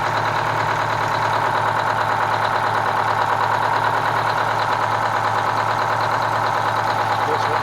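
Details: Kenworth cabover diesel truck "Marla" with a fuel problem, steady idle with an uneven, lumpy beat of about three pulses a second; misfire from a faulty injector on the third cylinder back on this side, to be replaced.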